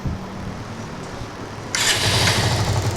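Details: Bajaj Avenger 150 with a power problem: starter spins at a steady churn, then a louder hiss, but it never catches; no spark, the power coil tests fine and the CDI unit is bad and being replaced.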